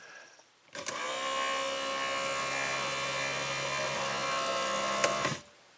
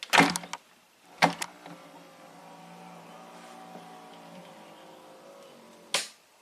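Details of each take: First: A small electric motor whirs steadily for about four and a half seconds with no limit-switch click: 1993 Cadillac Allante convertible-top pull-down latch on a refurbished replacement switch assembly, bench-tested with a straight ground, stops short of tripping the switch. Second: 1993 Cadillac Allante convertible top, original pull-down switch cleaned with DeoxIT and reinstalled: thump as top drops, short rising pull-down motor hum and crisp click as it cuts off; latch cycle works correctly.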